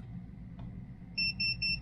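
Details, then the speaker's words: GODIAG GT101 power circuit probe tester on an 11.7 V battery positive terminal: four quick, even, high-pitched beeps in about a second, normal buzzer response to positive voltage with LEDs lit. "Connect the probe pin to the positive electrode of the battery, and the LED light and the red LED light will be on, and the buzzer will make a rapid sound, and the voltmeter will display the current positive voltage."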